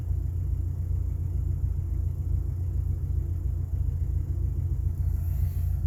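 A deep, slightly lumpy idle rumble with an uneven beat and no ticking on top; the engine idles rough right after start-up.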